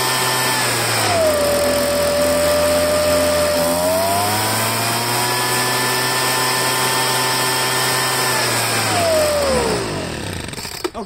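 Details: Poulan handheld two-stroke leaf blower after fuel line replacement: high buzz sags when choked and climbs back when choke comes off; carburetor fouled with dirt, probably from a broken primer bulb.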